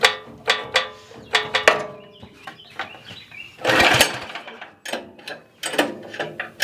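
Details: Cub Cadet FT24 tiller, little used, with fuel in tank, choke on: repeated recoil pulls with ratchety whirring and spin-down, never firing; won't start, dirty carburetor suspected.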